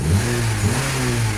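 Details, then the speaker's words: Honda Civic after overheating (empty radiator) refilled with 50/50 long-life coolant: engine now revs cleanly on the throttle with smooth, even rise and no delay or stumble; hoses over 5 years old, cooling-system refresh advised. "Kita gas. Masih delay nggak? Udah enak ya bosku. Udah nggak ada delay lagi."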